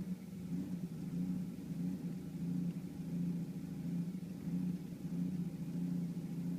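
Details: 1991 Volvo 740 turbo with a low, uneven idle loping about 1.5 times a second, mostly present; caused by a faulty radio suppression relay, confirmed by swapping it with the cooling fan relay, which fixed it.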